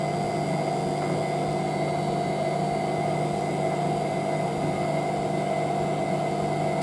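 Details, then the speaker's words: Hotpoint 9530W (brown and white) 95-series washer, Electronic 1000 Plus, spinning a test load of towels on Programme 1, 85°C White: steady smooth high-speed hum, even tone, towels heard hitting the door sill, no knocking or rubbing; normal spin. "It definitely sounds very different to the 9530A when that spins. That's got like the sound of a later 95, that's what I like. It's awesome. You can hear the towels hitting the front of the door sill."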